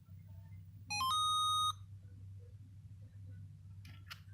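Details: Arduino UNO based Rad-Gate start gate on 12 V with a small Class C amplifier board, volume limited by resistor; quick rising run of short beeps then one longer steady tone over a low hum; normal power-up sequence, gate ready.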